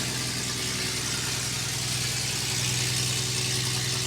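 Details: Toyota FJ40 with small block Chevy engine, first start after Holley Sniper fuel injection install and wiring troubleshooting; steady even idle, smooth low pulse, no misses or knocks; exhaust and vacuum still to be tuned; normal idle.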